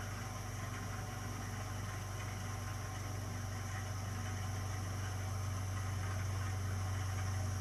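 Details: Burnham Alpine ALP150W gas-fired boiler, 3 years old, while firing: a steady, deep droning hum with buzzing vibration that creeps slightly louder; it happens often, cause unknown.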